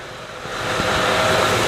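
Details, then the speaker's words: 2007 Honda Pilot 3.5L after replacing cracked intake tube that let unfiltered air in, plus new air filter: steady even idle hum, no misses, hiss or rattles; idling smooth, normal idle. "So man, this thing's idling smooth, it sounds good. I mean, it wasn't running bad before, so"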